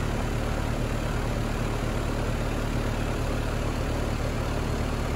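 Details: ICP Carrier heat pump after TXV replacement, no refrigerant added, grumbled during pump-down. Constant low hum with steady fan rush and no rattles or cycling; runs normally, temperatures good, airflow possibly a little low.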